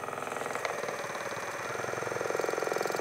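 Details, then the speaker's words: Kraft Hart massage gun running with head attached and pressed under load: fast, rattly buzz louder than when new; per service, caused by its lubricant running low. Cause suspected, not confirmed. "işte bunun sebebi arkadaşlar Bu cihazın artık yağının azaldığından dolayı oluyormuş"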